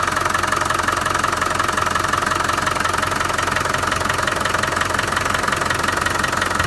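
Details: Land Rover 300Tdi diesel at idle with a steady sharp knock, about 167 per minute, over an even idle; knock from inside the engine, cause unknown, owner seeking ideas.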